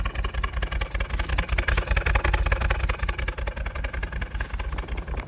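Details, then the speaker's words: Nissan R34 Skyline parked outdoors for 10 years, first start, idling on its own with stale fuel and no coolant. It runs roughly with a horrible misfire, an uneven stumbling beat lurching two to three times a second. Fuel pump to be pulled and hose to be replaced. "it's got a horrible misfire."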